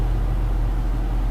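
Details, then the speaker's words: Truck with a new driveshaft balanced with an indicator but no weights: around 67–68 mph a deep, loud rumble like riding on rumble strips that clears above or below that speed; owner suspects driveline imbalance, not yet rebalanced. "But when I get down, I'm 68. I'm 67. 5. And there it is. It's like I'm riding on rumble strips. It's kind of loud too."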